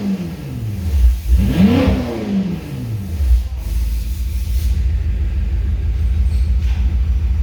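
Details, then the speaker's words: BMW M5 F10 at 92k km after check-up and oil service, no leaks found: clean blip up and back to a settled idle, smooth pitch, no rattle or stumble; V8 feels much healthier than before, normal revving. "It feels much more healthy than before."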